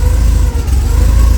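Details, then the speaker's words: Porsche 944 after replacing the entire exhaust system, damaged by thieves, system hanging without brackets: deep steady idle burble with an even pulse and no ticking or chuffing; sounds right, no leaks apparent. "Well, it actually sounds like a real car now. And I don't think there's any leaks or anything."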